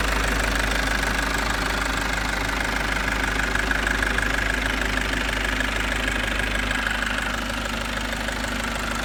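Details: Mitsubishi J53 Jeep turbo diesel, all original, in neutral: cranks instantly and settles to an even, steady diesel clatter at idle with no misses or stumbles; normal diesel knock, healthy idle.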